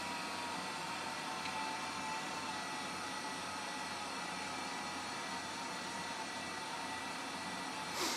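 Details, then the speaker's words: Old AMD desktop PC: a constant loud whir with a high whine over a fan-like rush, unusually noisy; Windows keeps looping at boot and the drive is suspected to be failing. "it's detected the hard drive and it's loud I can hear the hard drive and I can hear the fans this is one of the loudest things I've ever heard in my life"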